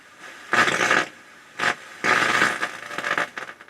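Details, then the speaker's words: Rotel RX-802 vintage receiver before restoration: tuning in an FM station gives harsh, hissy, irregular crackle and distortion; the FM tuner definitely has problems. "my zero in on a station just gets crackly and distorted let's try a strong station back herey can9 there's a loud hum in the background too it's like we have weak power spot definitely got problems in the FM tuner for sure"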